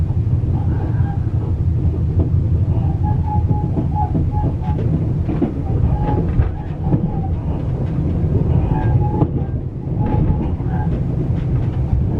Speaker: hear the squeaking noise you know I can't believe listen to that squeaking noise in the sleeping car